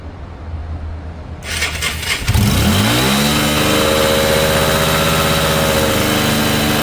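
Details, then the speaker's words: Cheap auction Yamaha motorbike after its carburettor and fuel lines were cleaned: it fires up, revs, then settles to an idle whose pitch drifts up and down. A vacuum line leaking a little air makes the idle fluctuate. "I need to Tinker with a vacuum line just there because it is leaking a little bit of air which causes the idle to sort of fluctuate a bit"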